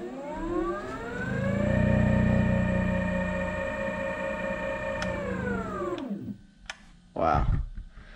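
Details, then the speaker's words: Teamgee H5 electric skateboard after left hub motor replacement, final power-on test: clean whine climbs as motor spins up, holds even pitch, winds down smoothly; hub motor sounds healthy, much better than before. "that sounds a lot better than it did before"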